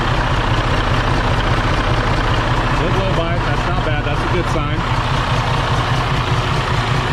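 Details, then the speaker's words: Freightliner Cascadia with a DD15 diesel, in for a crankcase breather fault code: a steady low idle rumble with faint rhythmic ticking on top suggests the valves are out of adjustment; they were last adjusted a few months ago. "if you hear that sound that pu H that sound typically means the valves are having some issues so if we're having some issues there with the valves number one you're out of adjustment"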